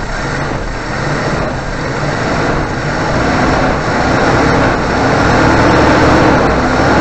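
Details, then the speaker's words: 1988 Suzuki Vitara 1600 carb engine after fitting temporary electric fuel pump in place of mechanical pump: steady even running with no stumble or surging; fuel delivery good, normal running. "excellent and that was a float bowl full of fuel and that seems to have done the job"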